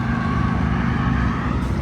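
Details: Cheap Yamaha R1 after new Antigravity battery, rectifier regulator, and a pinched fuel pressure regulator hose freed that had made the idle weird: deep, even burble at a steady idle with no misses or hunting; running smoothly.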